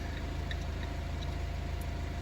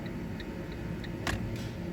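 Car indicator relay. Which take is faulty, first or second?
first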